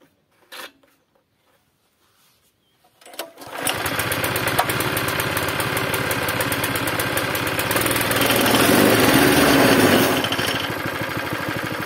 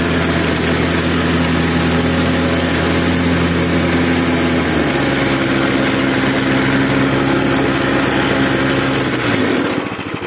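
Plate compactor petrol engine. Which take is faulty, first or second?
first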